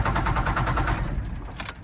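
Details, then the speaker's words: First-gen Dodge Ram D250 with 5.9L 12-valve Cummins, years in a salvage yard: starter churns in a quick even rhythm but it never catches and dies away; no fuel delivered, lift pump suspected bad. "It's wanting to start. It's just not getting fuel."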